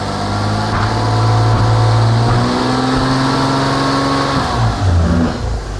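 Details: Toyota Camry with intermittent no-start and backfiring, after a new crank sensor was fitted: engine revs up cleanly and holds RPM, tone rising and settling smoothly with no misses or knocks; running healthy after repair.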